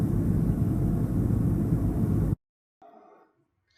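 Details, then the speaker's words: LG refrigerator rear cooling fan, which cools the compressor and runs whenever the compressor runs: steady low whooshing hum, even for a few seconds then cutting off; normal cooling fan noise. "okay also located in the back is a cooling fan this fans job is to help cool that compressor so that the unit runs better this van is owned anytime the compressor zone and this is what it sounds like"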